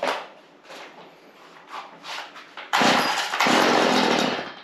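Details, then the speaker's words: Stihl FS 55R two-stroke weed eater, primer bulb pumped, started on choke; a few pull-start rasps then it fires right up and holds a clean, high buzzing run straight away. "she fires right up"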